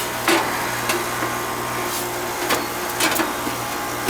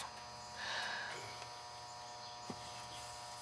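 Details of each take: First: Outside central AC condenser that would not start despite an untripped breaker, now running after a part was replaced: steady low hum from compressor and fan with a few handling knocks on top; unit running normally. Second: Central AC outside condenser not running, breaker not tripped: a quiet steady electrical hum as the motor tries to start and stalls; the run capacitor is visibly puffed and failed, to be replaced with an 80/7.5 capacitor.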